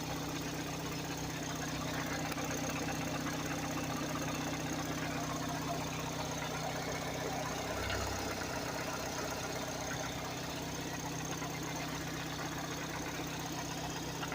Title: variable valve noise or Rod knock